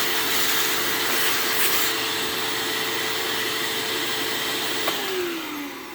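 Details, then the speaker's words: Bissell PowerForce 3537 vacuum clogged with horse debris, first run after acquisition: thin, quiet motor whine lacking punch that sags and winds down; motor struggling, owner suspects the armature and carbon brushes are failing. "yeah, that motor is struggling. It kind of reminds me of, like, it sounds like it's going out. Like, it's definitely, it's not loud. Like, it's quiet."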